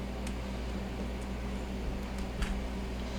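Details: GE TFX25QRCEWW side-by-side refrigerator with a no-cool complaint, after fitting a 3-in-1 hard start: quiet, steady compressor and condenser fan hum with no clicking or cutting out.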